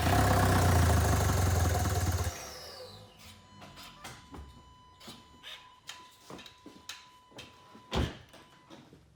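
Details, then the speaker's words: 2014 Volkswagen CJAA TDI, tuned, cranks without starting, no codes: engine catches and runs roughly about two seconds, stalls when clutch released, dying to scattered clicks; damaged turbo wheel shifted and blocking intake air. "So at least it's thinking of starting, but as soon as you let the clutch out, it stalls"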